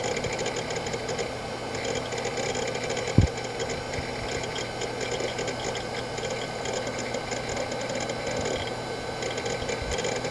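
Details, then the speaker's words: 233MHz tray-load Bondi Blue iMac G3, lavalier mic stuck on front recording the hard drive after boot: steady high whir with constant rattling buzz and a sharp click, intermittent; abnormal hard drive noise. "We're going to be using my lavalier mic right now to listen to the hard drive of this while it's booting up, because I figured this would be the best way to show you exactly how bad it sounds."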